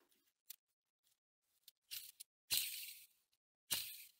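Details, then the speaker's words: Mazda RX8 clutch replacement, old clutch release bearing removed from the gearbox and spun by hand: gritty rushing hiss fading as it slows; bearing has considerable play and is worn, not reused. "pas mal de jeu les biens ruraux et bien usés donc on va pas la remettre"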